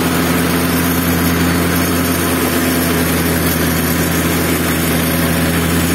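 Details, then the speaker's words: Zipper plate compactor, which had smoked, run unevenly and stalled, after its fuel system was cleaned and flushed and a strainer fitted: an even, steady single-cylinder drone at constant speed with no surging, misfires or rattles, running cleanly. "No i jak wam się podoba jego praca uważam że chodzi nieźle jeszcze sprawdzę maksymalne obroty co nie kręcił się za wysoko"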